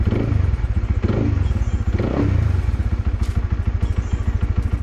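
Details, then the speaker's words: Honda RS150 motorcycle, single-cylinder, started right after an oil change and oil strainer service to check the drain nut and cap for leaks: even regular putter at idle, no rattles or misses, before shutdown; healthy normal idle. "Seterusnya kita hidupkan enjin, kita tengok ada tak leaking dekat nut bawah tu dengan penutup ni."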